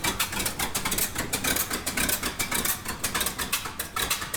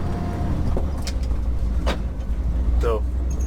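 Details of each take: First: 1969 Ford F-350 original FE 360 V8 at idle: uneven stumbling loping exhaust beat; cylinder 1 zero compression, 100 with oil, owner guesses rings or cylinder walls worn; misfire, cause unconfirmed. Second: 1969 Ford F-350 with swapped 352 FE V8, 4.56 gears, taking off in second gear at low speed: deep steady smooth rumble, no ticking or exhaust puffing; quieter after exhaust manifold gaskets fixed, normal running.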